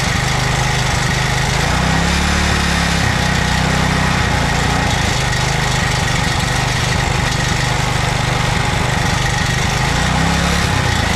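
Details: 2007 McLane reel mower small single-cylinder engine after a carb clean, on choke at fast throttle, running on fuel poured into the carburetor bowl with no tank fitted. Fast, steady, even beat; normal running.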